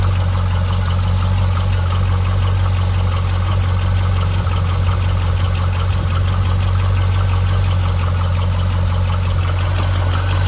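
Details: C5 Corvette at idle: a light, regular tick about three per second over a low hum. The owner suspects piston slap or lifter failure and is unsure which.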